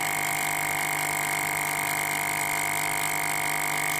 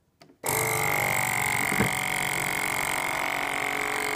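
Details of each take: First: FoodSaver V2490 that vacuums but never finishes; after pump checked good, isolating sections with a T; steady high whine, fast even pulse, no pitch change, not pulling vacuum, leak suspected in this section. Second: FoodSaver V2490 that vacuums but never finishes; line intercepted straight from the pump into a canister to test the pump alone; firm hum with whine building louder and higher as vacuum is drawn, pump works properly.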